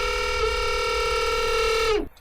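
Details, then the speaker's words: Split-screen wiper motor, after half-turn slackening of the end screw: steady high-pitched whine holds for two seconds then drops away as the motor stops; noise persists, cause unclear. "So, we still got that noise."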